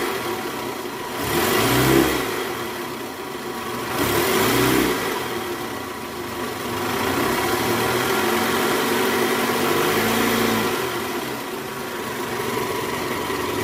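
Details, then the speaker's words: 2008 Toyota Camry 2.4 V, 2AZ-FE engine, after replacing the weak-springed tensioner: in reverse, revved around 1200 rpm, blipping up and down smoothly with no growl or rumble under load; normal running after repair. "Oke Guys bunyinya udah hilang nih udah nggak ada bunyi bunyi ngoroknya udah nggak ada nih posisi R di gas kisaran RPM 1200 bunyi udah hilang"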